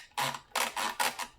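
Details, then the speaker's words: Vintage 1984 Tamiya Mitsubishi Pajero RC kit under restoration: four short buzzy gritty whirring bursts as the servo moves. The owner says it doesn't sound like the servo gears, so the cause is unconfirmed and the servo needs inspecting. "You can hear that? Does not sound like the gears in that servo though."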